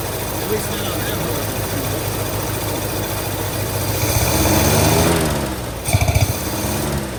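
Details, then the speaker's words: Long-abandoned 1948 Studebaker Champion flathead six at a lumpy, stumbling idle on old fuel while warming up: at least one cylinder dead (No. 6 later confirmed), owner suspects an intake valve, puffing audible from the carburetor. "Yeah, it's definitely got at least one dead one. At least. It might be an intake valve, actually. You can hear it puffing out of the carburetor."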